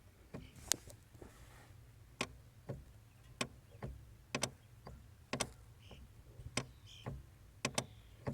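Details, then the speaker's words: 2016 Toyota Tacoma V6 4WD, 6-speed manual, 4,300 miles, after a 4-mile stop-and-go commute at about 83°F: sharp clicks and creaky chirps over idle during the first half inch of clutch pedal travel. "I noticed the clutch pedal started making noises again it's only it's a little bit less than last time"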